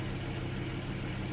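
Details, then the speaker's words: 2004 Citroen C4 1.4 petrol KFU, previously non-starting with injector open-circuit codes, starts straight away once relay circuit is fed directly: quiet, steady, even idle with no misses or knocks; normal idle. "let's start the engine and Bank on straightaway as you can hear running straight away"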